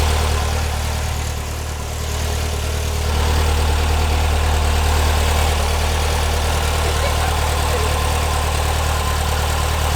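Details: 1970 VW Bus, brand-new engine just installed, first run: loud, deep, even burble that lifts briefly with throttle and settles steady, no knocks or misses; normal running.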